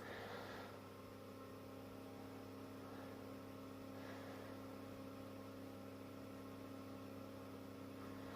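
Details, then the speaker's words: 230V AC industrial fan on a variac at 240 V, the sticker maximum: a steady, even hum with a light airy whoosh and faint mains buzz. No ticking or rubbing; it is quiet but gives good airflow and runs healthy. "so 240 volts still overall speaking this is a really nice fan quiet but giving the necessary airflow or a cooling effect as such"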